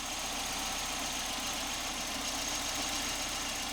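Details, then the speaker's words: Volvo 945 barn find, first start after sitting 7 years since 2017, no fuel pump heard beforehand: soft, even, notably quiet idle with little low rumble and a light hiss on top, no knock or miss; normal idle. A hole in the fuel line was found afterwards. "all right it runs wow that is quiet"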